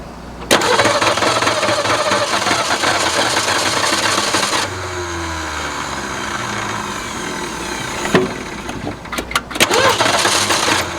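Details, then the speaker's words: 1961 Ford Falcon abandoned 15 years, after starter installed: engine cranks briskly and evenly, about four beats a second, with clean engagement and release; cranking normal, carburetor still needs work for fuel. "by golly i think that did the trick she spins over like she's on fire"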